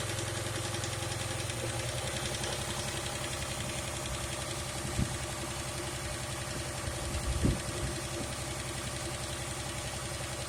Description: I put a tube seal and it still has a vacuum leak and I hear click or ticking noise.